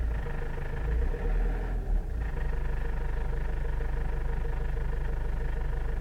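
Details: Toyota Avensis (first generation) at low rpm idle: low, heavy idle with a steady throb about twice a second that stays even; abnormal engine noise, cause not yet found.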